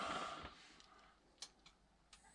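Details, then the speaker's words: Magnum 4024 inverter charger in a newly upgraded off-grid cabin solar system (two Midnite Classic 150 charge controllers), first power-up after connection: a few sharp dry ticks about half a second apart in a quiet room; owner unsure whether ticking is normal. "can you guys hear it ticking I'm not supposed to I'm not sure if it's supposed to tick or not that kind of scares me"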